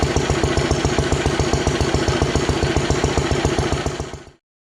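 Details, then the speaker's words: Ronaldson & Tippett single-cylinder engine, owned 20+ years, first run after cleanup, running without water or hopper, only lukewarm: steady even thumping about four beats a second until shutdown; normal healthy running. "So it's just lukewarm. Anyway, she's a goer, finally, after all these years."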